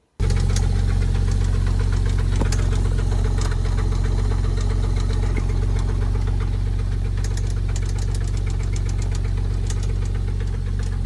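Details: 997 Porsche 911 engine at idle: heavy metallic knocking, about four blows a second; oil pan dropped revealing metal chunks, initially suspected IMS bearing, belt removed to rule out water pump/alternator; thrown rod bearing.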